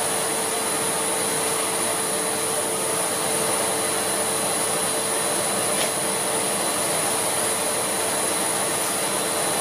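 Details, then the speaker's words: Siemens Z6.0 Power 2500W bagged cylinder vacuum cleaner pushed around on carpet: smooth, even, high airflow rush with a steady whine and no surging or rattles; very quiet, motor running healthy. "so let's kind of push around with it on carpet and Charlie it's very quiet I'll say that much for it"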